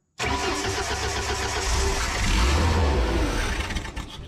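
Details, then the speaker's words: Boom lift engine with rebuilt carburetor, choked, fuel in the bowl from the last run: the starter cranks and cranks steadily for several seconds without catching; hard starting. "this thing just cranks and cranks and cranks when it starts"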